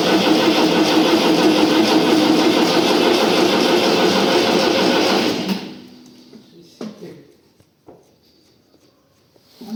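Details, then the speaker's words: Diesel tractor, first start after an engine rebuild, cranks steadily at about three beats a second for five seconds without catching because the diesel fuel hasn't bled through the lines yet; the starter is also now faulty. "первий запуск бачили конечно не так він сразу і буркнув ну понятне діло що поки там солярка прокачалася"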